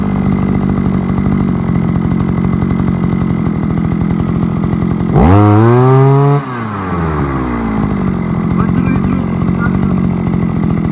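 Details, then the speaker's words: Forte two-stroke petrol brushcutter, outdoors after piston kit replacement for lost compression and knocking (owner blames bad or no oil): fires, revs climb quickly, settles into steady even buzz without misfires; runs healthy. "ось заводиться все сарка працює попробуємо ще раз"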